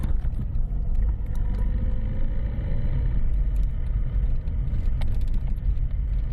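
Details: Lada Priora after a steering rack rebuild with a new bushing, new support and fresh grease: the small-bump knock was traced to the rack. Only low steady road rumble over small bumps, with no front-end clunks or knocks.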